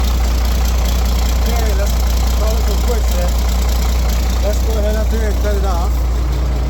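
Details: Roadtec paver diesel after fuel filter change and exhaust/air intake repair (formerly coughed and died): settles into a steady, deep idle with no coughing, stumbling or dying; sounds healthy and holds speed.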